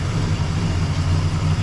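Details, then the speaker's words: 1961 Cadillac V8, warm, idling near the manual's roughly 450 rpm spec after carb tuning, slight smoke and a chirp: steady, even low rumble with no knocks, ticks or squeals; healthy idle. "I mean we'll call that a success right there listen to that ladies and gents that's pretty insane"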